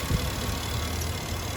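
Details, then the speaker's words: 2007 Toyota Sequoia with a suspected bad alternator (not charging): low, slightly uneven idle with a soft lumpy pulse, running a bit rough and too low. Rough low idle. "I do feel like though it's like running a little bit rough."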